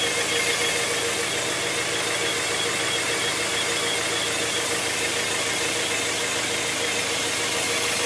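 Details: 1997 Honda Prelude SH at idle: thin, steady high whine over the engine hum from the transmission; owner notes it differs from a previous bad throw-out bearing; cause unknown.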